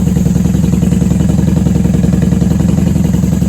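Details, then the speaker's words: 1994 Honda Magna 750 VF750C, cold, on choke, running with the airbox removed and unbaffled factory pipes. A steady, even, deep burble at fast idle with no stumbles or knocks. "Hey, she sounds good. She sounds great. I'm surprised she's running so well without the airbox on. Let her warm up till choke can be turned off."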